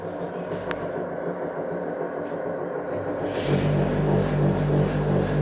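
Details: Samsung washing machine with broken drum bearings: a deep, steady rumble that swells with an uneven throb as the drum picks up speed.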